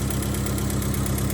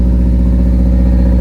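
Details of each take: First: Honda EF hatch with D16Z6 swap and new Temu exhaust, warm idle, temperature rising, not surging: light regular puffing tick in time with firing; possible small exhaust leak at a bolt that may need tightening. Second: Honda EF hatchback with D16Z6 swap and new cheap open exhaust dumping over the control arm, first start without coolant, holding about 82–83 psi oil pressure: loud, deep, steady roar, smooth and even, no knocks or rattles; running normally.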